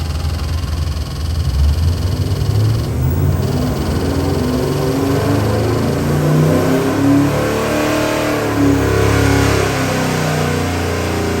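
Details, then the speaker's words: 427ci LS crate engine (about 645 hp, 590 lb-ft) run on a dyno before going into a 1974 Chevy Camaro: a deep, even V8 rumble, picking up cleanly through throttle blips without stumbles or ticks. It is healthy. "We're gonna fire it up and give you a run demo, and I believe you are gonna be quite happy."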